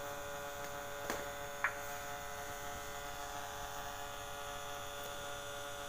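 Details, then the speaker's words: Polytron compo stereo with added Bluetooth module, filter electrolytic capacitor at the output emitter positive disconnected: loud constant low hum of fixed pitch returns; noise disappears when the capacitor is reconnected. "noise sangat keras muncul kembali"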